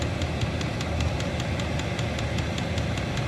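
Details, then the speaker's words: Vevor diesel air heater after repair at power level 9: steady roar of hard burning with fuel pump ticking evenly about five times a second, warm air from vent; normal high-power running. "pump's clicking away got nice warm air coming out our vent over here"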